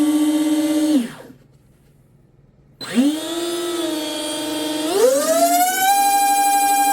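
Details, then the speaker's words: Twin brushless RC boat on 6S with new TFL Zonda motor mount and short .187 flex cable drive lines, first bench spool-up: clean rising whine to a steady high pitch, no cable whip, slapping or rattle, stuffing tubes barely warm; drive line running normally. "Damn, that sounds good. I don't hear no cable whip, which these are real short cables, so there's not really any whip in the in the drive line."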